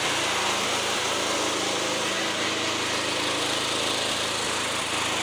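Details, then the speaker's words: Lawnmower small engine, fairly new, after cleaning, run without the motor deck: steady running with occasional misfire dropouts, eased by choking; fuel problem suspected, not confirmed. "okay so still doing it once in a while it's not as bad but as soon as I choke it it actually helps because it almost it clears it for some reason and then it starts to running normal"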